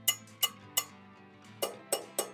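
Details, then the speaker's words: Dirt bike wheel rim with tire off, spokes tapped during pre-ride check; seven sharp bright pings each with a clean lingering ring, unlike a loose spoke's quieter ting: tight spoke ring. "It just doesn't have the same ring. So going around, and if you hear a different, like quieter ting, make sure you tighten it up before you ride your bike."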